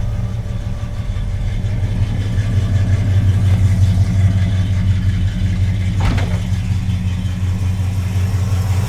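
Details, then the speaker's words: Red Duster with a mild street V8 on a Holley-type carburettor, choke fully backed off, idle mixture screws 1.25 turns out, just started: smooth, steady, even low burble with no stumble, miss or hiss; normal idle. "It's running perfectly, it seems. I should mention that I backed the choke all the way off, so it is not functional right now at all. So, it's just running without a choke."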